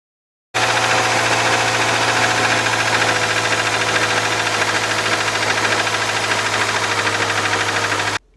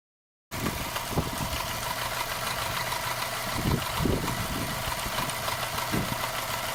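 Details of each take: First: Subaru boxer engine running: fast, fairly steady metallic ticking, about three per second. It comes from the worn timing belt idler pulley, which has been hitting the metal, not from the engine itself. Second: Subaru boxer engine after repair with the timing marks aligned: a soft, even idle with a steady low hum and no knocking or ticking, the engine just whispering. Normal idle after repair.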